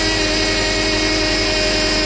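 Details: 2009 Subaru Outback after power steering rack replacement, first start after refilling and bleeding fluid: steady high whine over a smooth idle, unchanging; the power steering pump is believed bad, staying loud even after bleeding.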